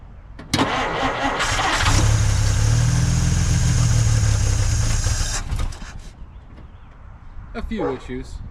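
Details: Dodge Meadowbrook, after swapping to a 6-volt battery to solve generator issues: starter drags over sluggishly for about a second before the engine catches; slow cranking on the lower six-volt supply, ammeter happier, strong fuel smell.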